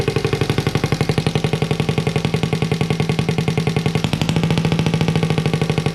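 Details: Honda Z50A monkey bike after fitting CR70 stator with original flywheel, manifold not connected to silencer: fast even popping beat with loud raw bark, no misses; normal running, open exhaust.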